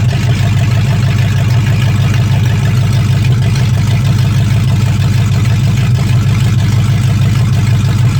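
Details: 1965 Mustang fastback, 289 V8 with Tri-Y headers, first start after sitting 44 years, freezing cold day: deep, steady V8 burble at a fast cold idle with an even beat and no heavy knocking. Normal idle; only a dripping carburetor needing a rebuild.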